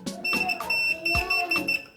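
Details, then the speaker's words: Grid-tie inverter board tested with meter in continuity mode: repeated sharp beeps as the probe touches, showing a dead short traced to the power MOSFET IRFP27N60K; shorted MOSFET. "Masalahnya ada di transistor ini ya. Ini dia. Transistor ini kemarin yang bermasalah, atau MOSFET ya namanya."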